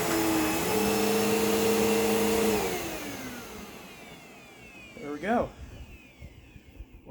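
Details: Hoover Elite Rewind vacuum, model U5507-900, test run after replacing broken belt with new one: steady even hum with clean tone for a couple of seconds, then smooth spin-down, no slap or squeal; belt drive running normally.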